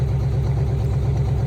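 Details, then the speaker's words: Junkyard 1966 Jeep Gladiator 327 Vigilante V8 running with no exhaust system after a carburetor swap cured its misfire; loud, deep, choppy idle, rough because of exhaust leaking at the manifolds, no smoke; owner considering removing the manifold bolts. "I I and now it's just rough because that exhaust so I don't know if I'm gonna try to get these manifold bolts out I mean you gotta look there's a little noise coming out here no smoke"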